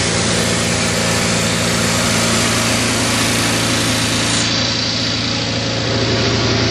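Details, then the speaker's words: Craftsman GT6000 mower's Kohler V-twin after a fuel pump replacement and carb rebuild, with the governor not hooked up: it starts, briefly idles, then screams at a high rev, sizzling and overspeeding. "Wow. I probably should look into hooking up the governor before I blow a head gasket. Hear it sizzling."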